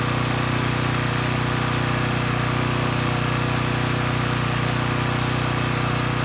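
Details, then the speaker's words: Coleman Powermate Pulse 1850 generator, 1996 engine, after carburettor repair, unloaded in driveway: steady, even drone at constant speed, no surging or hunting; normal running. "so so let's say the carburetor issues are sorted out the engine's running pretty well"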